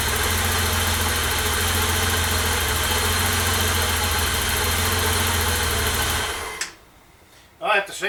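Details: 1988 BMW E32 735iL, freshly rebuilt M30 B35 inline-six, first start: smooth even idle with steady low beat, no knocks or misses; healthy, car later reported running great.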